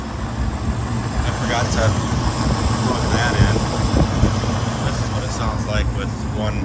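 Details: 1999 Ford F-250 V10 (VIN S) at idle: faint irregular tick coming and going over the rumble, persisting after fixing leaking spark plugs; cause unknown.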